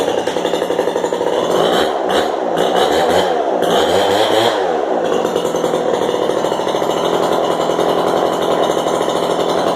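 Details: Craftsman 25cc two-stroke leaf blower, resealed, with modded muffler (mod gained 500 rpm): loud high buzzing held flat out, revs wavering briefly then settling into a steady, even scream; runs clean at full throttle.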